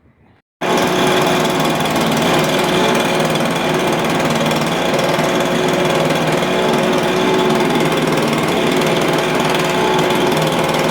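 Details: Stihl BR350 backpack blower, previously backfiring through the carburetor, after replacing a wrong knockoff ignition coil with the correct one to fix timing; loud, steady two-stroke buzz at even pitch, no pops or stumbles, running clean.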